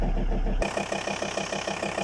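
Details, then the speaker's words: Diesel at idle after the owner fitted a used injection pump drive belt, timed by eye, with an injector control fault: sharp, evenly spaced knocks about seven a second. "То ещё оговорюсь, двигатель стучит."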